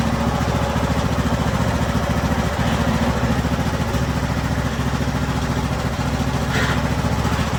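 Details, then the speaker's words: Craftsman YT3000 riding mower with a swapped donor engine, running on a jumper pack during a hydrostatic transmission test, oil due for a change: steady, even low chug with no misses, knocks or surging; normal running. "That's a win right there. Transmission feels nice and smooth."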